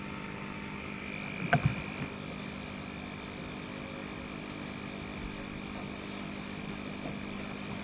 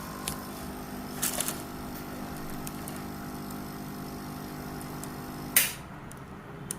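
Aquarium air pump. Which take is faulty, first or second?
second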